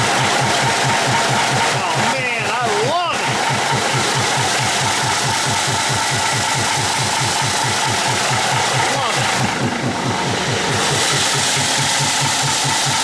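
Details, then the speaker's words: 1953 GE 80-ton locomotive, last run 1998, just started: heavy even chuffing at idle about twice a second with breathy hiss; owner notes blowby, thinks it probably just needs to run; smoke lessening. "That is some blowby, but it probably just needs to uh run"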